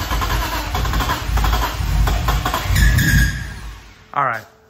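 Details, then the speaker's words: BMW E30 M3 with S54 engine swap, started on starting fluid sprayed into the throttle body: catches and runs rough about three seconds, then dies; DME gives spark but no fuel delivery, and no throttle-position response. "so it did it fired up it fired up but that's it um I was pushing the pedal oh turn this off I was pushing the pedal and nothing was happening so even though the DME is has spark and I'm not getting fuel"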